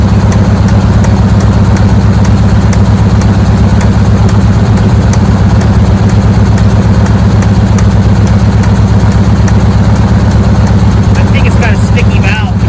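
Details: Chevy squarebody with a replacement GoodWrench 350 small-block V8 at idle: steady idle with a light regular tick, roughly three a second, riding over the rumble; a valve may be sticking.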